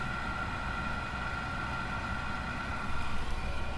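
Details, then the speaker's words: Campervan Propex gas blown-air heater after fan motor repair, reinstalled: fan starts, gas flows, igniter clicks to light, then steady even rush of fan and burner with low rumble, no knocks or surging; warm air, working normally. "So there's fan and there's gas, and I just heard it click in light. and we have warm air."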